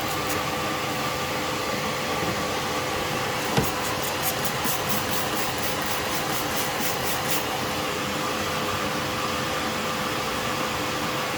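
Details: Alfa Romeo Spider petrol engine idling with a steady, even hum and no puffing or ticking after the exhaust leak was fixed.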